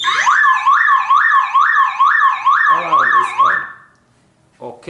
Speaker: when I take that cable away this car makes sound